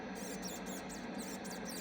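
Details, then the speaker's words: 1955 National NC-303 receiver, unrestored and with no capacitor replacements. A thin, high chirping squeak repeats several times a second while the controls are worked; a dry mechanism needing attention. The band switch needs cleaning and the receiver needs calibrating. "couldn't get the computers to work right when he wanted to use them, and he really didn't trust them too much. You can hear it squeaking here."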